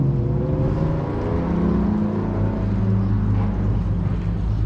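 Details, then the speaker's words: Jet ski bought at auction as a non-runner, 132.8 hours, started after new spark plugs and a fuse, heard engaging at the rear. Deep, steady engine drone at even pitch with no misses, knocks or rattles; it runs normally. "race boys over there i can hear it engaging at the back she works so that was it guys"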